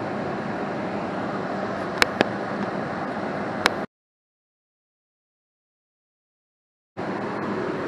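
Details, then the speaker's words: 80% single-stage Goodman natural gas furnace, fired, with an X13 blower motor drawing 1.93 amps. Steady, even rush of burner and blower with no rumble or pulsing. Normal furnace operation. "all right so the furnace is fired i'm going to grab the amp draw for the blower"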